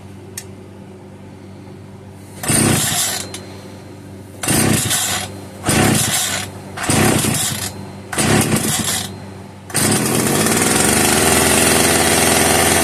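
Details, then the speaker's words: Italian-made Castor 330 Antivib (rebranded Alpina) chainsaw, bottle-fed on the bench: short revving bursts dying between squirts of fuel, then a longer steady run; runs only on directly fed fuel, not its own supply. "Okay, I think it's safe to say that this thing is not going to run on its own fuel supply."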